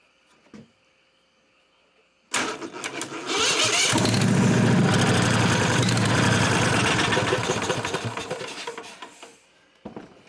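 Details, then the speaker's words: 1998 Briggs & Stratton Vanguard 16HP horizontal-shaft V-twin (model 303447) cranking steadily at close to four beats a second, never firing. Cranks but won't start, no fuel reaching carburetor because fuel pump vacuum line was cracked. "Alright, so I figured out the other problem. It wasn't getting fuel to it. I took the line off going to the carburetor Hooked another line to it, and there was no fuel at all coming out when it was cranking over."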